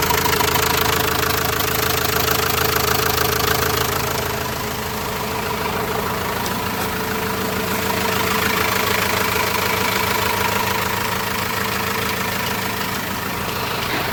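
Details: Renault Master minibus diesel after front-end engine work, idle once fully reassembled: steady, even diesel clatter with a smooth low drone and no thumping left; the earlier banging is gone and the engine sounds healthy.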